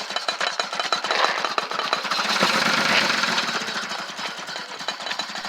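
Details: 1978 Jaguar XJ6L started after more than 25 years of storage, with fuel system work still needed: uneven, stumbling engine note with irregular sharp bursts and no steady beat; rough running and misfiring, cause unconfirmed.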